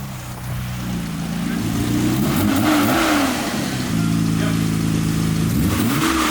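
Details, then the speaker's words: Nissan R32 Skyline GT-R engine revved up and down with a hard, deep knock that follows engine speed; rod knock, caught early. "All I know is I heard it and I was like, damn it. That's a noise where like some people question rod knock. Like, yeah, rod knock."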